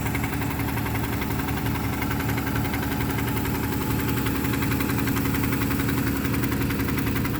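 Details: Big-block OBS street truck first fire-up: lumpy uneven idle with loping beat three to four times a second and light ticking on top; dead cylinder, owner suspects a couple of stuck lifters.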